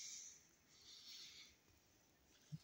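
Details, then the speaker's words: Closed negative-pressure cold-steam Rankine system driving a Tesla mechanical oscillator, at about 58–61 degrees. After the valve closes, a faint steady hiss fades; the pipe is drawing in leftover air/steam, probably because the line is too small. "i hear still that this pipe is sucking in some of this yeah air steam whatever that's left"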